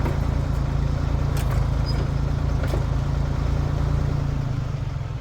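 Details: 1973 Ford 4500 industrial diesel backhoe, revived from scrap, digging stumps at end of a working day: low steady diesel rumble, even beat about four per second, no knocking; machine ran great all day.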